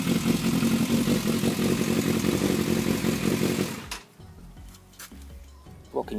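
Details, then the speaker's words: Yamaha FZS600 Fazer: idles fine on its stand, but runs about four seconds then dies abruptly when rocked off the stand; carbs need cleaning but the cause is a faulty ignition switch. "it sits and idles absolutely fine but if I take it off its stand and move it well I'll show you I've discovered the electrical issue"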